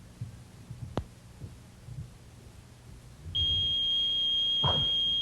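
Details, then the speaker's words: AT&T security system 8000 armed in home mode: quiet room, then a steady piercing high tone comes on and holds as an opened window triggers the burglar alarm; silenced by entering the three-digit code and pressing off. "but if you do set off the alarm accidentally you can turn off the audible alarm simply by entering your three-digit code and pressing off"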